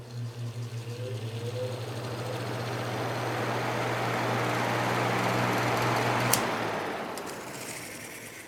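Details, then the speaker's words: 1970s Patton U2-1272 fan with a new Fasco D128 shaded-pole motor replacing one that burned out in 2016: a steady hum with a brief rising whir as the blades spin up. Its startup sounds the same as the original 1970s motor, and it is healthy. "um this motor actually has the same startup sound that the original one did from that you know back in the 70s so these shaded pole fasco motors have not changed at all since then"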